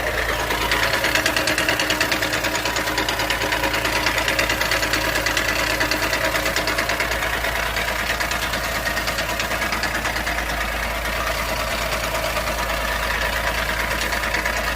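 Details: 2019 Ford Ka: quick, fairly even ticking, about three a second, over a steady idle; source of the tick unclear.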